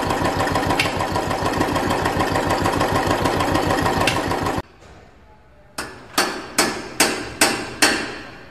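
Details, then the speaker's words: Royal Enfield Classic 350 UCE engine: loud thumping single with fast metallic tappet rattle riding every beat. "tap it noise in royal enfield is a real pain in the ass that metal rattling noise coming out of the engine it doesn't always sounds good for any genuine user of oil enfield"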